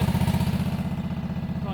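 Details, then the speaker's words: Wright Stander stand-up mower after carburetor replacement, started with some choke, black smoke seen, throttle unadjusted: even rapid single-cylinder putter with no stumbling or surging; running good, normal running. "okay so it's running good"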